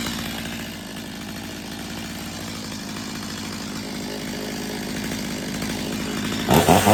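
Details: Stihl MS250 chainsaw after carb retune, warm, following a no-choke warm restart: steady, even two-stroke burble holding one speed with no surging or dropouts; running cleanly and well tuned.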